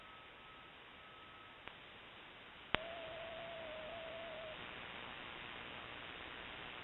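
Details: Shortwave ham radio receiver: steady hiss and static, short wavering tone and clicks; broadband RFI persisting with house main breaker off, timed (off 7:31 pm, returns morning), grow light or powerline suspected.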